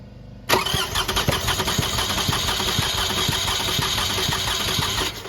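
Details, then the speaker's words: 2006 Toyota Highlander 3.3L, coolant leak, shop claimed head gasket: cranking during compression test, even strong regular chug about four beats a second, no weak strokes; cylinders read about 200, good compression, head gasket doubted, water pump suspected. "so look these compression checks are impressive so anyway you want to slice it up that's good compression"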